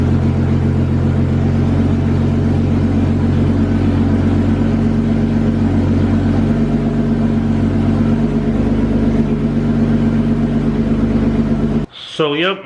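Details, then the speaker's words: BMW E36 after replacing idle control valve, crankshaft position sensor, throttle body gasket and MAF, now running self-sustaining without a relay switch: loud deep steady rumble with slight uneven lope, holding on its own; normal running. "so like i said it's running already so might as well you know i've gone ahead and started up let you guys hear the absolute loudness of it but i got a lot more work to do on it so start up"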